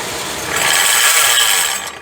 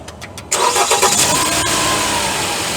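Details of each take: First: Jeep Compass 2.0 petrol, microphone at the belt-driven accessories, at engine shutdown: harsh ratcheting buzz and loud sharp snap at stop; alternator overrunning ratchet pulley suspected, not confirmed. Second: Jeep Compass 2.0 petrol that made a loud snap from the engine when switched off: after replacing only the alternator freewheel (overrunning) pulley, it cranks, runs smoothly and shuts down cleanly with no noise.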